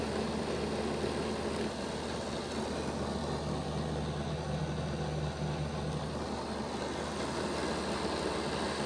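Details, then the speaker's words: Bachmann Dash 9 model locomotive, rear motor block: steady, grainy growling hum; the cocked motor is losing contact with its pickup strips, fixed by reseating the motors. "While the motor block didn't stop, the sound was prevalent, and you could hear that it was making more of a growling sound than what the front motor block was making."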